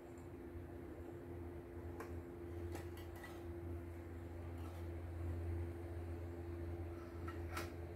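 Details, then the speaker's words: CNY E900 embroidery machine, cleaned and set up, test-stitching; low steady hum with light even mechanical ticking, no knocks or scraping; good result, no problems: normal running. "Hasil bagus sih, tidak ada kendala."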